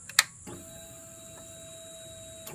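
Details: Honda CBR600 F4i after fixing no spark/no fuel by replacing ECU, wire harness and ignition switch zener diode, key on: click, then steady two-second electric whine as fuel pump primes and shuts off; normal fuel pump prime.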